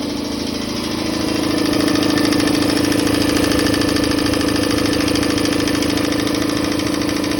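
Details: Campbell Hausfeld air compressor after repair with a new pressure switch, check valve, gauges and regulator: even, steady motor hum with a constant pump pulse building smoothly to speed. Normal compressor run.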